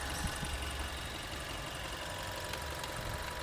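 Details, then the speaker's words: Dual VVT-i engine after being disassembled four times to cure a chirp: steady, even idle with no "cit cit" chirp or squeak, noise now gone; normal idle. "Alhamdulillah ya, enggak ada suara cit cit cit cit cit."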